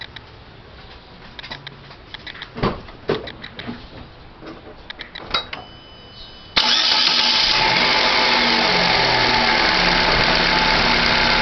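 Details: 2011 Chevrolet Classic (2010/11) at idle: harsh steady whirring hiss when clutch pedal released, disappears when pressed; clutch release bearing already replaced and dealer could not fix, source unidentified.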